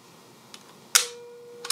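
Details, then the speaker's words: Mamiya C220 Professional TLR medium format camera with standard 80mm leaf shutter lens, firing: one soft, crisp small click with a brief faint ring, nothing harsh or dragging; a quiet, healthy leaf shutter. "That's all the sound that this camera makes when it fires. Just that small click."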